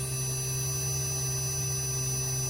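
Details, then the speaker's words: Carrier inverter AC compressor driven by its PCB in a bench test, speed rising again to about 154 V and 195 Hz: a steady electric hum with clear high whine tones. The inverter compressor runs normally. "பாருங்க, மறுபடியும் இப்போ increase ஆகுது speed. உங்களுக்கு சவுண்டை வச்சே தெரியும்."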